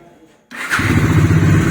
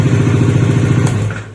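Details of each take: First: Bajaj Dominar 400 after a bearing replacement: it starts on the first self-start press and settles into a steady, even idle, then restarts on the first press after shutdown. The earlier engine problem is gone. Normal start. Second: Bajaj Dominar 400 in neutral on electric start: harsh, rapid clattering knock through the crank near the magneto, then it dies away, and the starter sometimes spins free; starter one-way clutch failure.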